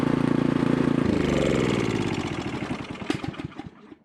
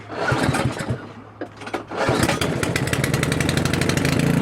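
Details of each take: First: Craftsman 900/22 single-stage snowblower after carburetor leak checks, started with choke and primer: even steady single-cylinder putter, no misses or surging, stops cleanly at shutoff; runs good. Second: Craftsman 900/22 single-stage snowblower small single-cylinder engine with carburetor leaking fuel, started with choke and primer: pull-start coughs, then catches with an uneven, hunting beat about three firings a second; rough running and surging, cause suspected.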